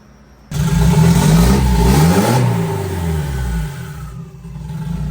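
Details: Turbo-kit Nissan 240SX project car, first start with the turbo kit, running after the throttle position sensor was found unhooked: engine catches and revs up cleanly with a steady, even deep note, then settles back smoothly; normal revving.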